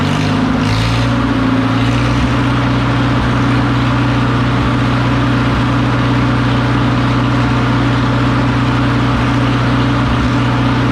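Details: McCormick W4 tractor engine, freshly fitted with new ignition wires, wire separators and new spark plugs, fires and holds a low, steady drone with an even beat, no obvious misfire or knocking; normal running.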